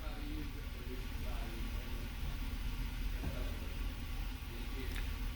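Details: 2005 Chevrolet Avalanche 5.3 L V8 with P0300 random misfire, after spark plugs, coils and injectors replaced: steady, low, even idle with no stumble or knock; runs smoothly, misfire counts near zero.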